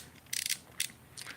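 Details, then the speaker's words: Dark Wolf Ultra Black Knight II baitcasting reel with added AliExpress brake magnets: short bursts of dry high-pitched scraping as spool turns, magnets rubbing the spool below setting two, on both reels. "so you hear that all the way down to so yeah all the way i have to go past two before it doesn't rub those magnets rubbing and it does on both reels so it's definitely no go on my on each one that come off"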